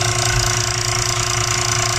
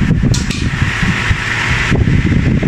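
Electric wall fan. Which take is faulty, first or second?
first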